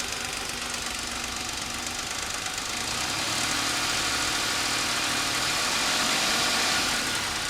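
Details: Suzuki Escudo H25A engine: steady, even knock about four times a second over a hissy running engine; clear internal knock, cause unknown, mechanics suggest disassembly.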